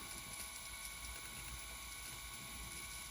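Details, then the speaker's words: Akai GX-75 cassette deck after transport repair (idler tire replaced, dried oil, fused pinch roller arm freed), fast forward: steady whirr of spooling tape with faint regular ticking, no grinding or speed wobble; normal fast forward. "Go, rewind. Very quiet working. As you can hear, those German idlers are the best."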